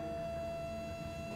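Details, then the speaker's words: Home heat-recovery ventilation (recuperator) system: steady clear whistle over airflow rumble, caused by a crushed duct at the top; uninsulated extract riser noted. "Jest to wywołane tym, że rura na górze znowu jest "prze gwałcona""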